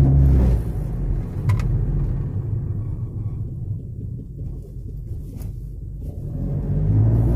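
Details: Honda Civic with vibration and noise: deep, uneven low rumble with a loose throb about three times a second, nothing sharp on top; rough running, cause unclear.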